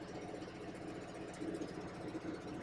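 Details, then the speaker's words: Rayco C120 120 hp machine, engine just started with parking brake set, warm-up of 10–15 minutes advised, at least half an hour in cold weather: quiet steady low diesel idle, even beat, no knocks or misses; normal cold idle. "to let the unit run you want to let the unit run for a minimum of 10 to 15 minutes in Colder Weather let it run for at least a half hour get all the fluids warmed up"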